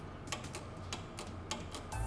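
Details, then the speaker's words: VW T25 1600cc twin-port CT engine on test: fuel cut-off solenoid fed a live from the coil clicks crisply each time power is touched on, working and opening to let fuel through the carburettor. "all we need is a live to the coil and the live from the coil is going to this fuel solenoid and if I touch this here you'll be able to hear that fuel solenoid clicking on and"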